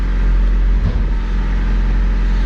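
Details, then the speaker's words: Older Honda at idle, with the check engine light on for code P0135 (O2 sensor): an even, soft low rumble with no ticking, knocking or misses. It runs well; this is a quiet, normal idle. "this thing is pretty quiet"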